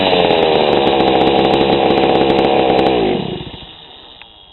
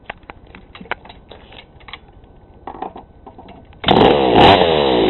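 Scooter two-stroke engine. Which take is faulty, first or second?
second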